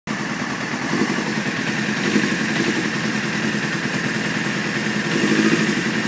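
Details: 1995 F3 motorcycle idling fast but unevenly, idle set at 2200 rpm, beat wavering and surging; takes 10 seconds of cranking and white smoke to start, rough idle often at red lights and cold starts.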